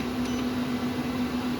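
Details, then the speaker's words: 12k Growatt low-frequency split-phase off-grid inverter running a 240 V 18,000 BTU mini split heat pump; its internal cooling fan kicks on to cool components, a steady low hum with even airy rush, no rattle; normal cooling fan running. "there's that fan that kicked down again you can hear running"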